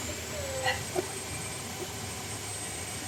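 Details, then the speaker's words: Honda City with lowered coil springs, steering turned left and right lock to lock by the owner before a road test: near silence, no clunk or creak from the front suspension, despite claims of many faults. "Pinapaliko-liko ko na nga kay customer itong manibela niya pakaliwa at pakanan para malaman ko kung meron pa itong lalabas na ingay."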